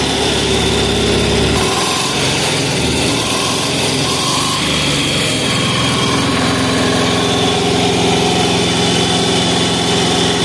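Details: 186FA single-cylinder diesel running on Road Tech synthetic blend 10W-30 motor oil as fuel at about half throttle. A steady clatter at a fast, even beat with no misses or knocks; it runs smoothly.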